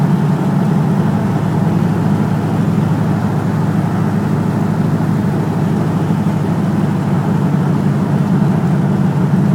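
Continuous low engine drone with a slightly uneven, lumpy pulse at idle and no clean rhythm; sounds like a misfire, cause unknown.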